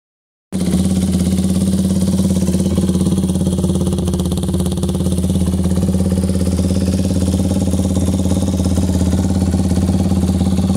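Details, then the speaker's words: 2002 Yamaha YZ250F revived and nearly fully reassembled, started a few minutes earlier after carb rebuilt from several carbs' parts and tuned: even, quick single-cylinder beat at steady idle, no misses, knocks or rattles; revs crisp, running cleanly. "well boys and girls there she is almost totally back together after I started a few minutes ago sounds good rev's great really really crisp"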